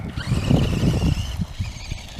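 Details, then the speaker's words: Axial Yeti Jr RC truck after fixing front differential stripped gears (glued/locked), battery a bit weak: motor whine rising and settling over tyre crunch, no clicking from front end; noise gone, drivetrain normal. "I don't really hear the noise anymore, so it must have been that front differential. Looks like it fixed it."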